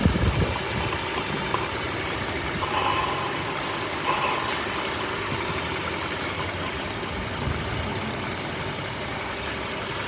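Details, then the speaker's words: 2004 BMW 530 running extremely lean on both banks: steady idle with a constant airy hiss and slightly uneven beat; soapy water on the DISA valve gets sucked in and the engine runs worse, confirming a vacuum leak there. "this disavowed right here got soapy water that's the disavow here is sucking in and you can see it running worse"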